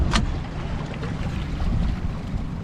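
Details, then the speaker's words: Yamaha F50 outboard repowered on a Sea Nymph boat, idling in the water after a run: a very quiet, steady low rumble with no knocks or misses over lapping water; a normal, smooth idle. "you can hear the barely even hear that baby running so always maybe listen real close before you hit the key again"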